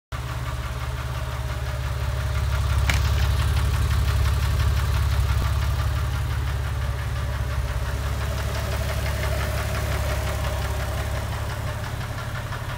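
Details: Porsche 996 3.4 flat-six, warm idle, recorded in garage: quick even light tick, three or four a second, intermittent, absent on cold start, fades above about 2500 rpm, louder under load; owner suspects exhaust manifold, tappet or piston slap.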